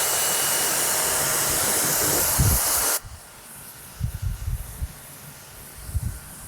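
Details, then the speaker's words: Mini electric pressure washer after air is blown out of the system: loud steady jet hiss for three seconds at full pressure, then cuts off to quiet; running normally. "And now you can see the full pressure of the machine."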